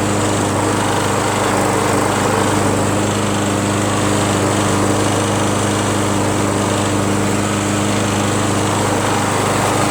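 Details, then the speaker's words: John Deere JS63 self-propelled mower, Briggs & Stratton 6.5 engine, free curbside pick, garage-kept, started first pull: constant high buzzing note at steady speed, no surging or sputtering; runs cleanly, self-propulsion works, only handles loose. "can you believe that guys it started up on first pull and the self-propulsion works just fine this thing runs fine"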